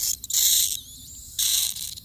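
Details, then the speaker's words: Maple sap vacuum tubing line on a 60°F day: a sharp high hiss comes and goes in bursts as the line is handled, air being sucked in through holes in the sap line, a vacuum leak. "As soon as I said that, I heard a sucking."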